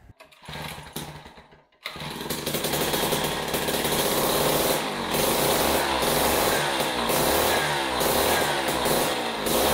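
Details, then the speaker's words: Jiffy Model 30 ice auger (believed 8 in), a small two-stroke unused for several years and last fuelled with ethanol gasoline. After idle speed screw adjustment it stutters, then idles as a steady, even buzz. It runs better but the owner suspects it needs a carb kit. "w well that certainly runs a lot better than it did but I'm not real happy with it"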